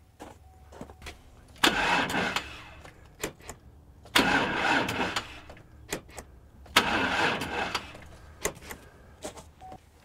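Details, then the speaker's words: Pickup engine cranking three times on a portable jump-starter battery pack: slow and labored each time, never catching; the cranking is compared between two jump packs of different capacity. "so you can hear a huge difference in how this engine turns over with the two"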